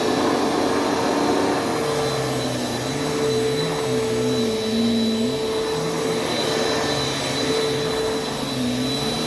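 Steady high whirring roar with a constant motor tone and slight pitch wobble, even and smooth; a healthy upright vacuum running normally.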